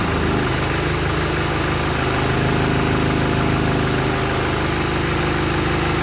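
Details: Land Rover Series 3 2¼ diesel, first start after engine rebuild, hard to start: loud, harsh, uneven diesel clatter at idle, about three knocks a second; owner thinks injection pump timing is a little advanced and plans to adjust it.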